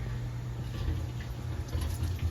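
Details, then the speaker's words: Brand-new 2021 Weil McLain Gold boiler hydronic system, zones being bled: low, uneven gurgling and sputtering with bursts of trapped air; the lines are air-bound, causing the hydro coil to blow cold air. "and hear it yup this is Airbound it's a nice look just okay air in the lines"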